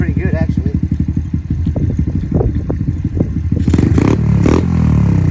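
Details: Semi-auto pit bike dirtbike with a new Amazon carburetor, air-fuel screw 1.5 turns out and idle set: small single thumps along at a quick, even idle, then picks up cleanly on throttle; running fine.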